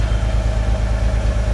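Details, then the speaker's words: 1986 Nissan 300ZX, hurricane-flooded, idling right after its first start with a replacement for the stolen computer, after water blew out of the exhaust: smooth, even low idle with a steady pulse, no knocks or misses; running cleanly. "okay so she did have water in her somewhere the whole exhaust yeah we'll uh we'll open that up listen how good it runs"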